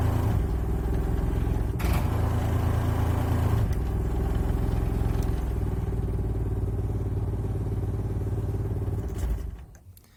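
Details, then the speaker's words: Trailer air conditioner/heat pump on high after a condenser fan blade was trimmed; steady low hum with fast irregular clatter about three a second. The misaligned ("out of diagonal") condenser fan is hitting its shroud, and its shaft is crusty. "I decided to take the whole thing off because I realized that it was basically out of diagonal that's why I was hitting the fan shroud in the first place"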